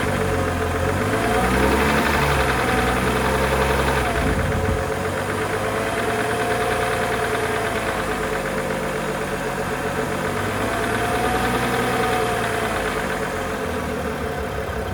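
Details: BMW E92 335i N55, under 1000 miles on new rod bearings, cold idle: steady, fairly regular knock over the low engine hum, gone when warm; rod knock suspected, not confirmed.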